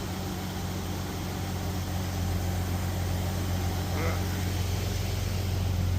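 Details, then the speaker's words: Jeep Cherokee 4.0L at 345,000 miles, cold start after used pistons replaced a cracked piston that caused piston slap: the cold idle is a quiet, low, steady rumble with no knocks or ticks. Slightly uneven but healthy, and quieter than ever. "I don't think I've ever heard it that quiet. And this is cold."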